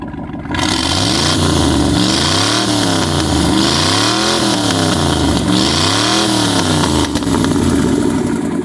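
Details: Restored 1974 Dodge Ramcharger that sat 12-15 years; deep burbling V8 rises and falls smoothly through several blips, clean and even with no misses or knocks; sounds healthy.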